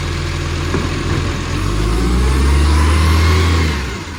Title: Millicent Commercial Garbage | SL01074 With A Mad Exhaust Leak |